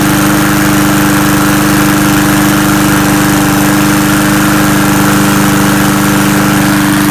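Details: Murray push mower that ran four days earlier, then wouldn't start from bad gas (suspected water in tank), after carb cleaner and fresh gas: single-cylinder chugging at a fast, slightly uneven beat, still rough while bad fuel clears.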